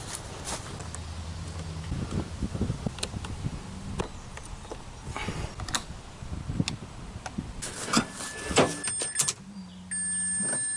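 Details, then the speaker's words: Flood-damaged (water) 2004 Mazda RX-8 6-port manual, immobilizer fault, after electrical work: after some clicks and tool clatter, a steady low electric hum for about a second as the fuel pump primes at key-on. "Fuel pump priming."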